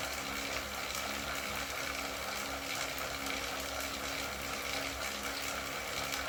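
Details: Wahoo KICKR CORE trainer with Zwift Ride on a rocker plate, pedalled at about 90 rpm and 170 W: smooth hiss and hum with no rhythmic click. The intermittent known clicking fault is absent in this stretch, so it sounds normal.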